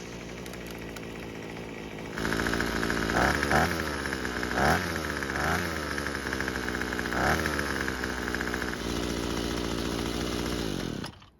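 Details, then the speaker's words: Neglected Craftsman string trimmer after plug gapping, purging and choking, on the second start attempt (the first start died): the small two-stroke catches and holds a steady buzzing run with throttle blips. It is running normally and quite well. "So, after starting the engine a second time, the engine stayed running, and it seems to be running quite well, too."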